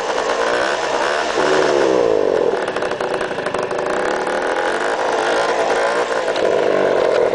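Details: Peugeot Speedfight scooter two-stroke with strange engine noises; buzzy rasp swelling and dropping with throttle, an uneven rattly edge on top, cause unclear.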